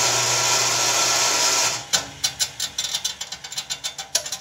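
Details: Enco RF-30 mill single-phase induction motor, newly rewired with a DPDT relay replacing the barrel switch for start and reverse, drive belts off: steady mains hum with bright whir about two seconds, then coasting tick winding down; runs normally.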